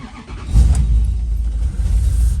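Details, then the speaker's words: Monteverdi 375/4, first start in a while after refuelling and adding coolant; brief crank, catches almost instantly, then a steady, even low idle with no misses, charging at 5–7 amps, fans cycling on then off. Healthy start. "straight away it starts up it's uh showing about uh what's that about charging it 5 amp 6 amps 7 Maybe fans came straight on now they've gone off"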